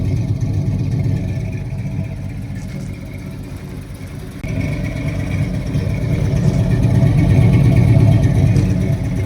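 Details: 1973 Ford Gran Torino Sport 351 Cleveland V8, sat 35 years, first run with carburetor bowl fed by hand and no fuel pump connected; steady, even low rumble at idle, no knocks or misses; normal idle.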